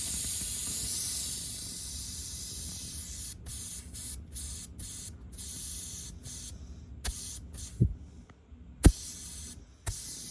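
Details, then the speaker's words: Rapid Air Weapons HM1000x air rifle after O-ring replacement: steady high-pitched hiss about three seconds amid handling clicks; still leaking though less, owner suspects the O-rings inside the brass valve. "It's leaking a lot less. Well, still leaks. Really a bummer."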